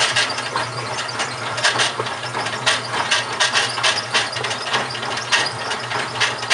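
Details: GE washing machine, model WHDSR315DWW, bought 2006: irregular scraping and rattling bursts roughly every two seconds over a low hum, grinding somewhere in the drive; owner suspects the transmission is going bad, unconfirmed.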